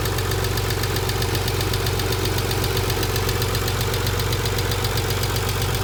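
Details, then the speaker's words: 1990 Nissan 300ZX twin turbo with used JDM replacement engine at idle: fast steady ticking about four per second; hydraulic lifters starved of oil from low oil pressure, one lifter broken. "i had replaced the engine with a jdm used engine and i ended up with a lot of engine noise here's what it sounds like"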